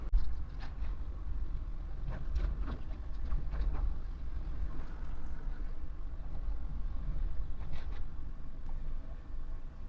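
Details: Maruti Alto K10 AMT petrol engine idling steadily with a low hum, no stumbles, a few handling clicks, after cleaning during misfire, low mileage and pickup diagnosis; fault code now pending.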